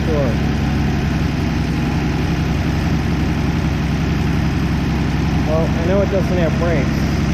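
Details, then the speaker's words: 1964 Plymouth Belvedere slant six, three-on-the-tree, sat about 20 years, running on bad gas: steady, low, even idle holding its speed with no stumbles or misses; normal idle. "wow it is idle and beautiful"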